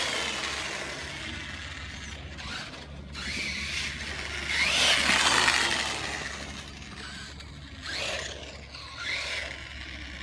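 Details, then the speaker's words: DHK Maximus 1/8 brushless RC truck after the front diff gearbox was replaced, on a driveway test run at 91°F: a light electric whine rises and falls with throttle over tyre noise, with no gear clicking or grinding. Smooth drivetrain. "Alright, so far so good. I'm really impressed with the new front diff gearbox."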